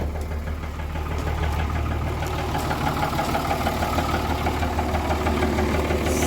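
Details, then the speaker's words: Cummins diesel truck engine at idle: deep, fairly regular bottom-end knock about three times a second over the diesel clatter, runs surprisingly smooth but dislikes starting, also has blow-by and smoke; rod knock, engine to be replaced. "kind of what she sounds like bottom end knock it sucks it's surprising how smooth it runs but it is not happy about ever firing up"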